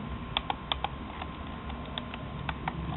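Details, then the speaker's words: Budget Logitech mouse after scroll wheel mod: crisp light detent clicks in quick irregular runs, now a quick snap instead of stiff turn; normal scroll wheel clicks. "see it sounds great sounds better it feels great it sounds better than before before it was just like uh it was very quite stiff and then click you know it's kind of like a stiff turn and click now it's just a snap see nice quick snap which is the way i like it"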